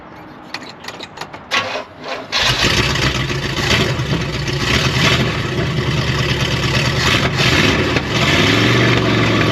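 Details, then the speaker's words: 1972 Oldsmobile 98 V8 after timing advanced about five degrees. It cranks, catches and settles into a steady even beat with no misses; firing on all eight. "it sounds way better than it did before though doesn't it it's definitely firing on all eight and in the right order"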